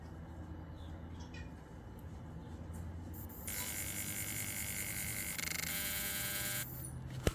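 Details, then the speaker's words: 2008 Suzuki GSX650F, won't start, CHEC dashboard, ignition switch replaced after C42 code, new battery: with no power, a high electric buzz runs about three seconds every 30–60 seconds; owner suspects ECM or throttle-body butterfly actuator. "So, why is that cycling when I have no power going? This happens every like 30 seconds. This thing will cycle."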